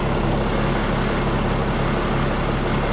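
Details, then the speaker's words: Komatsu D85E bulldozer diesel after new injectors, valve set and retiming the injection pump with loose, cracked drive coupler found: loud steady even roar, no misses, knocks, smoke or backfires; runs clean and properly timed. "Run's beautiful well well there it is got the shields all back on and that machine is back together ready to roll again"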